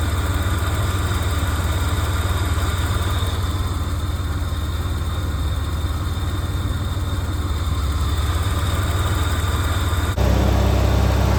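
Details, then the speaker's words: 1987 Ford Bronco II, first run after 15 years sitting: a steady, even low-rumble idle with no knocks or misses. It is smoking heavily but runs healthy. "Hey, she's running. Doesn't sound actually too bad there."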